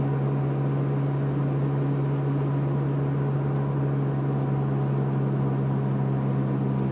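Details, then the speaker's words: Prius with a 4 kWh Enginer plug-in battery kit, converter fan running, cruising steady at 50 mph: constant low buzzing hum with no knock, which the owner attributes to a wheel bearing. "pick up to 50 hear that noise is my wheel bearing that buzzing the fan is still running on the converter by the way"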